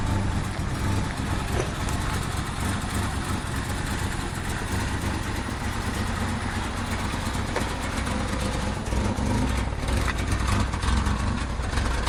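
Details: 1994 Mazda 323 at idle: steady speed but deep, uneven shake underneath; rough idle, cause not yet pinned down.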